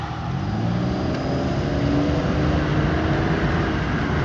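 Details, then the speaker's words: 2000 Pontiac Grand Prix revved hard: flat steady roar that never climbs past about 4000 rpm; a failing fuel pump is suspected, and a slight transmission slip is also felt. Engine won't rev past 4000 rpm. "he got a up fuel pump this thing won't go over like 4,000 RPMs try it"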